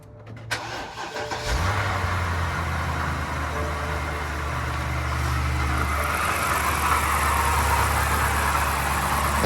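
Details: 2008 BMW 750Li N62 V8 after replacing ignition coil packs and clearing codes for misfire: cranks briefly, catches cleanly, settles into smooth even idle; rough running fixed.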